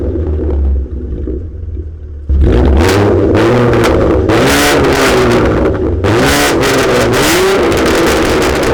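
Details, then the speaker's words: Catless V6 Mustang on a tune, running 93 octane; owner is unsure whether this makes it run rich. Harsh raspy revs rise and fall with sharp crackling pops on lift-off, but no flames. Rich running with exhaust backfire. "Oh, that didn't sound very good. Oh, Jesus."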